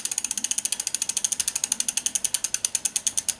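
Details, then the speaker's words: Bicycle with Tannus puncture-proof tyres, flipped over and rear wheel spun by hand: crisp, even freewheel ticks about ten a second that ease as it coasts, with no scraping. Normal freewheel; brakes are not rubbing. "on va aller voir sur la roue arrière on va faire la même manip donc là pareil on entend pas de bruit de frottement"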